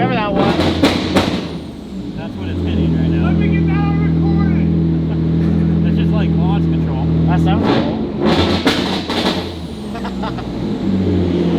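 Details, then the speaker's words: EG33-swapped Subaru WRX STI on dyno, louder than expected with mufflers: steady pull for seconds then stumbles and cuts out in bursts; AFRs good, no knock; suspected engine protection mode, TDC offsets or mechanical timing; breaking up under load. "Like every time you guys would hear it on the dyno and it would start breaking up, that was the issue that we were running into. Could be TDC offsets a little off. Could be mechanical timing is a little bit off."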